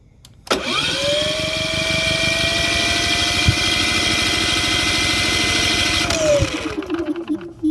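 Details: Cummins P4500i generator cranks without starting: the starter whine holds steady for about five seconds with a regular churning beat, then winds down without the engine catching.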